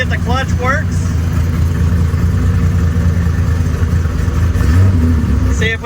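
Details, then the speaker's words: Datsun 280Z GT2 race car, first start in many years on race fuel through carburetors: deep, steady rumble with no misses or knocks, oil pressure almost 80 PSI. Normal running. "It's running. We got good oil pressure. Almost 80 PSI."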